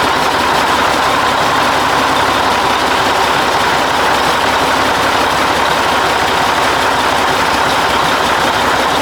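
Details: 1980 Mack FR700 diesel truck idling after restart, following an attempted oil leak fix and first start in 10+ years: steady clatter and rush, even and unchanging, no knocks or surging.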